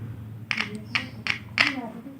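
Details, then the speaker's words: Loudspeaker touched to a battery as a manual component test: five crisp crackling clicks in about two seconds, showing both speaker and battery are good. "Nah, itu ada bunyi krek-krek nih. Berarti ini kesimpulannya dua-duanya bagus ya. Speaker bagus, baterai bagus."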